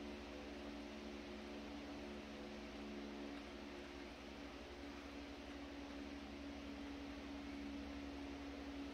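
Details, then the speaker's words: Century S-3 Model 15 skeletal frame desk fan, over 100 years old and restored after many issues, on slow speed, quiet enough for the owner to sleep to; soft steady hum, faint even motor tone, no ticks or rubbing; normal healthy running. "This is actually my favorite speed to run the fan on. Just because it's not that noisy. I can actually sleep to it running on this speed."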